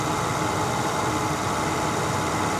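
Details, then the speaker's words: 1988 Cadillac Brougham with 41k original miles and a replacement 5.0L 307 V8 with an electronically controlled carburetor: steady, smooth, low-rumbling idle with no knocks, ticks or misses; a healthy engine. "crank up this 301 so you can hear the engine when these cars are running uh right they have almost a little bit of a line to them when they're really tight super smooth running engine"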